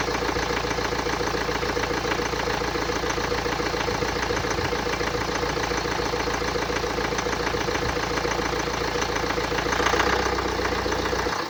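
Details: 2009 BMW X1 xDrive, 2.0 L N47D20D diesel (130 kW/177 PS), 224,000 km, idling with a rattly clattering edge and a hiss on top; the distinctive noise indicates turbocharger damage.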